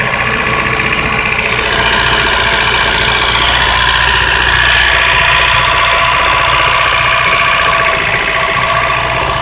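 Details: 1992 Mazda 323 with B6 engine, extremely hard to start, idles unevenly with a lumpy, irregular beat around three to four stumbles a second and a rattly edge; horrible misfire, cause unknown.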